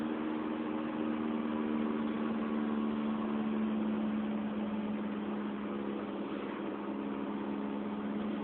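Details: 2004 Honda Fit GD3 1.5W at about 50,000 km, four years old, cruising, phone mounted in the car: low steady one-pitch drone under road noise; worn rear hub bearing.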